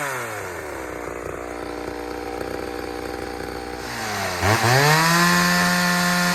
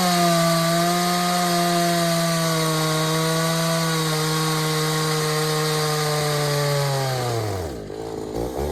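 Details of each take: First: Third chainsaw test, running on leftover old fuel without refuelling: even idle buzz, then clean revs to a high, smooth pitch. The saw runs fine, unlike the two freshly fueled saws before it. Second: Pioneer 3270 chainsaw with a carburetor of uncertain origin, likely from a 60cc saw, and a safety chain: high thin screaming revs that sag and bog in the cut; running lean, fuel starvation.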